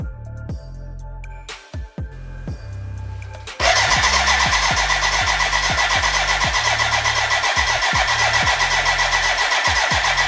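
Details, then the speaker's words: BMW K100 café racer build, first start attempt with fuel in: starter turns it over steadily about four pulses a second, never catches, music over it; no fuel getting through, crank no start. "there is a fuel problem now it's connected to the tank but it's damn dry so now yeah i have to figure out why if our water water pump if our fuel pump does have power"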